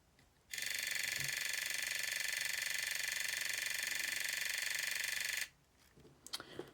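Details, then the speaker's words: Aiwa AM-F75 MiniDisc recorder after a failed seller repair, on pressing play: harsh, rapid mechanical buzz ticking about four times a second for five seconds, then stopping; a vibration is seen near the laser sled; cause not confirmed. "I'm going to press the play button now going have a look through this hole we see it vibrating"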